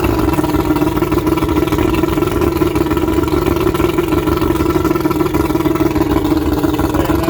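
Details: 1995 Astro 18FS boat's V6 135 outboard on flushing water, started with warm-up lever up and a little prime after sitting a while: loud steady run with uneven lumpy beat under a low drone; rough running after storage.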